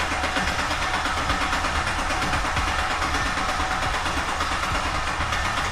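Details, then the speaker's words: Common-rail diesel truck at its first start attempt: steady, rhythmic starter churning with no firing or pickup in speed. The engine cranks but never catches and the starter is warm; a bad electrical connection is suspected; crank, no start. "It's trying to do its thing. Might get hot. It's warm, but it's not hot. Okay. Yo, I'm gonna give him a call quick and see what he has to say about why it would just crank."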